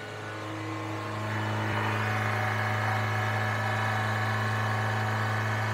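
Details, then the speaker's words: Suzuki Sidekick, cold start: fast, steady idle around 3,500 rpm with a strong low hum and no stumble or smoke so far; high cold idle, cause unknown, owner guesses something simple. "so yeah a bit of a high idle issue but again so many of the um of the sidekicks idle super high like that when they're cold I don't know what that is if there's somebody you can tell me I would much appreciate it"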